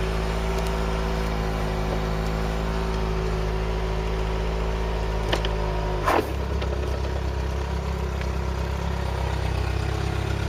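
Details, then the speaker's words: Mk3 Ford Cortina four-cylinder that sat in a field since 1983, battery charged, points filed and accelerator pumped: catches after a short blip and settles into a steady, even low idle with no knocks or misses. Normal idle. "the car does not want to die and tell you that much listen to this for a motor"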